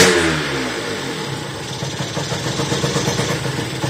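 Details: Motorhispania RX50 Racing (Peugeot XR6) small two-stroke moped, start-up on choke after side stand and forks replaced, cooling not yet sorted: it buzzes unevenly, revs sagging and wavering, and runs poorly, needing choke to keep idling.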